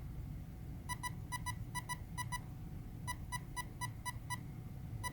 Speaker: beeps is our motor direction normal is by the fault reverse would be option two